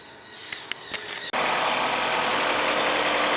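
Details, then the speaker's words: Fiat Brava that had engine noise and was out of timing, after fine adjustment of the timing belt tensioner: it catches and runs steadily and evenly with no knock or slap, the tensioner now set right. "tirei essa correias outro correia voltou a funcionar e vou ver se não vai ficar batendo extensor vamos ver como é que ele está trabalhando aqui"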